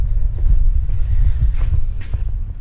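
Deep, low, lumpy rumble with the loping uneven pulse of a twin, holding steady with no knocks or rattles. Healthy warm-up idle.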